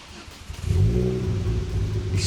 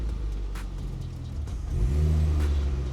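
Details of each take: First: Ford Focus ST-2, 99,000 miles, started about ten minutes after last run: cranks and catches into a lumpy stumbling rumble, badly misfiring, black smoke from exhaust, engine light on; cause unknown. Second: Ford Focus ST-2 bought as spares or repairs, running after the battery was charged (starting problem blamed on the battery): a steady, even low rumble that swells smoothly on a brief rev, with no misses or knocks, sounding healthy.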